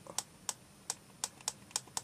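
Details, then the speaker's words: Spectravideo Quickshot 1 joystick after cleaning a dirty, slightly shifted direction switch contact and reassembling: crisp bright even clicks about three or four a second; switch now sounds normal. "was the faulty yeah that was the faulty one so I wonder it just slightly shifted out of position as well as as well as having that bit of dirt underneath it because that actually sounds sounds better"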